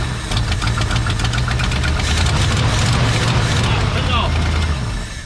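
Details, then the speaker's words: Old Ford F100 pickup V8, sat about 17 years, with rebuilt carburetor once clean fuel reached it: catches and settles into a deep steady even rumble with no misses; runs on its own. "oh we got good gas now y'all look at there whoo it went from whiskey to tea in a minute all right y'all she's running gonna run all by herself"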